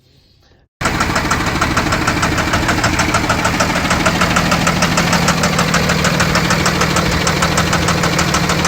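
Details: Freightliner Business Class box truck, Cummins ISB 6.7 diesel idling: sharp steady knock about three times a second, a fuel knock from a misfiring injector that also set fault code 1667; injector replaced.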